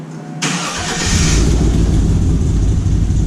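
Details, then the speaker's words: Recently bought Chevrolet Silverado V8 truck (EGR delete in progress) fires up and settles into a loud, raw, uneven rumble from a massive exhaust leak, before the leak is fixed. "we're trying to fix the exhaust leak on my truck right now yeah we forgot to say that because it has a really massive exhaust leak and it sounds like complete poopy lock"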